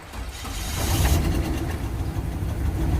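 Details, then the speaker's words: 1999 Suburban that sat about two months in the weeds, with a suspected engine knock: starter turns it over, it takes a few tries, then catches and settles into a steady low rumbling idle that slowly builds. "sounds that's it's running all right now I'm gonna turn the camera off because I got to move these vehicles before I catch the grass on fire with the exhaust"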